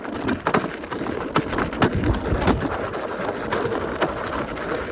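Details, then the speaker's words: Mountain bike Master suspension after 1900 km, riding downhill on a normal gravel logging road: irregular sharp clunks and bangs over mild bumps cut through the gravel rattle, the suspension knocking where it should ride quietly. "video showing how bangy and Slammy the master suspension can be going downhill here we go"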